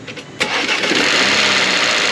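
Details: Engine start after an oil-pan hole was repaired with a new pan and oil pressure was built by cranking with coils disconnected, checking for engine damage: brief crank, catches, steady even run, no knocking. Normal start-up.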